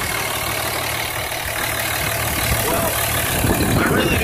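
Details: 2004 Dodge Ram 2500 SLT 4x4, 5.9L diesel, 6-speed manual in neutral, one owner, no check engine lights, clutch replaced 10,000 miles ago; even steady diesel rumble and smooth clatter at idle, no knocks or misses: normal idle.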